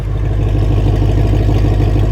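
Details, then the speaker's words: Ford GT500 V8, warming up during block test for suspected head gasket, coolant level not dropping: smooth even low idle rumble, no misses or knocks, no white smoke now; normal idle. "it's on, it's idling smooth, no white smoke."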